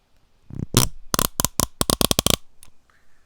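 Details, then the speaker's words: Icon ratchet turned with the lever tilted up, held by the microphone: rough, uneven crunchy clicks instead of crisp ticking. The owner suspects the missing carbon steel spring wave washer lets the anvil and pawl misalign and eat into each other; not yet confirmed. "that is essentially for the Anvil in the pole not lining up properly and eating into the Anvil and essentially the Paul at the same time"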